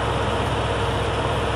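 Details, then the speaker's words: 1982 Ford F-150 with a 302 cubic inch (5.0 L) V8, idling while jump-charging a combine battery: even, smooth low rumble with no ticks, knocks or stumbles, a good-running healthy engine. "that's right good running motor right there little 302 cubic inch v8 modern language would be 5.0 liter"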